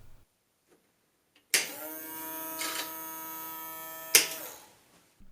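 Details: 1987 Memorex MemoryWriter word processor's self-ejecting floppy drive: clunk, steady high whirring about two and a half seconds, then a knock; drive no longer functions.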